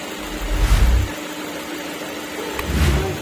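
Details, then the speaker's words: Maruti Ertiga (latest model) idling after water pump replaced: smooth steady low hum, no whine, rattle or knock; earlier engine noise was from the water pump. "ये अभी गाड़ी हमारी start है और sound बिल्कुल normal ए रहा है कोई साउंड हमारे एक्स्ट्रा नहीं ए रहे इंजन के अंदर कोई भी साउंड नहीं ए रहे हैं वाटर पंप चेंज होने के बाद"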